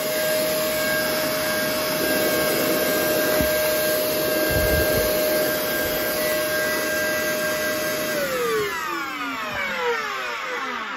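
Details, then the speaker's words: Shark vacuum motor, possibly water-damaged, seemed locked up then freed itself: harsh, rough, terrible-sounding whine at steady high pitch then spinning down, smells of carbon; motor worn out, powerhead also dead. "oh that didn't sound good did it even turn on yeah that sounds terrible I think it was locked up at person it freed itself"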